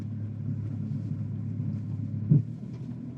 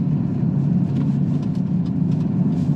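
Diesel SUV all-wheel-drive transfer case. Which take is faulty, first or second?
first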